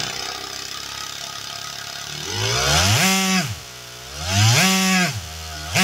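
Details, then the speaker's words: Small 3D-printed single-cylinder air engine with bearings, third refined iteration, revving to 11,000 RPM: fast buzzy note climbing sharply in bursts and falling back, smooth and even; reliable, healthy high-rpm running. "reliable the engine ried up to 11,000 RPM and did it so reliably at the filming of this video I've run the engine countless times and it has still not failed"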